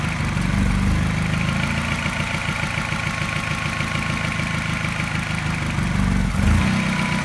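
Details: Mini with N12 engine, not fully cold but not warm, smooth fast idle, then a soft, mild tap coinciding with a regular slight misfire in its beat.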